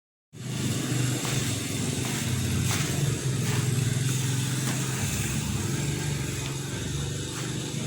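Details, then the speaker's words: Honda Vario 125 FI scooter that won't rev: low, flat engine drone never climbing in pitch whether throttle is snapped or opened slowly, RPM won't rise; cause found to be a clogged, dirty fuel injector. "Kali ini di hadapan saya ada Vario, yang mana Vario ini seperti yang kita lihat tadi teman-teman, bahwa motor ini tidak bisa digas. Jika digas spontan ataupun perlahan, motor ini gasnya tidak mau naik,"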